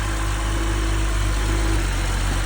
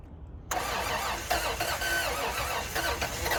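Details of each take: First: 2011 BMW 640, started on a jump box: smooth, deep, steady idle with an even rumble and no ticks or rattles, dropping slightly when put in gear; engine sounds healthy, normal idle. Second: 1992 Toyota 4Runner on a jump box: starter churns in uneven bursts with occasional catches that never pick up into an idle. The engine cranks but will not start.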